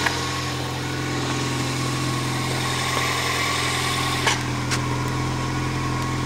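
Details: 1999 Toyota Corolla 1.8 idling right after the power steering pump pulley fix: a steady, even idle with a smooth low hum and no squeal or whine; normal idle.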